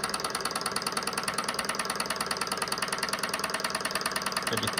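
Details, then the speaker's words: SunnyTech Silver Stirling hot-air engine running with no cushioning feet yet: quick regular ticking rattle about three per second in step with the flywheel as it bounces on the table, changing when hand-steadied; vibration rattle against mounting surface. "can hear that it's bouncing on the table a little if i put my hand on it it's not too bad actually on this table yeah you can hear a difference there"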